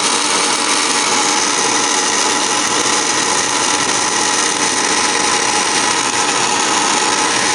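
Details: Furnace on start-up, March 22, 2017: loud steady grinding whir with a harsh rasping edge at constant pitch, suggesting a rough motor; cause unknown.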